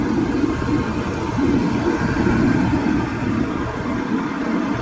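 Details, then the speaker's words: Older Comfortmaker forced draft furnace restarting after the open high limit switch was replaced: a steady, even whir with low hum as the inducer spins up and purges gases before ignition; it sounds normal and smooth. "So it will take a couple of seconds while this boots up, clears out any gases."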